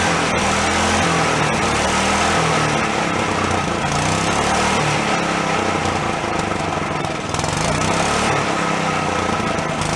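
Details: Long-stored Yerfdog go-kart single-cylinder, now running on its own without thumb-choking: fairly steady buzz with slight speed wander; owner thinks a blocked carb passage or vent suddenly cleared.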